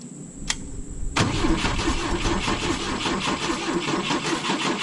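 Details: 1972 Volvo 145 on rigged fuel with vacuum ports plugged: starter cranks on and on with an uneven, lazy rhythm and no firing, not spinning fast enough; hard starting because plug wires were disconnected.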